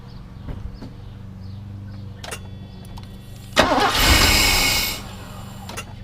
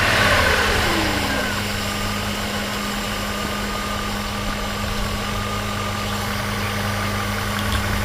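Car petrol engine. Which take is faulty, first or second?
first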